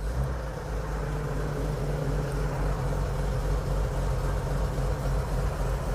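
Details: 1950 Chevy truck after a cold start, right after rust repair, running low on fuel: a steady, even low rumble with no knocks or misses, a smooth fast idle on the choke while oil pressure climbs to 35–40 psi.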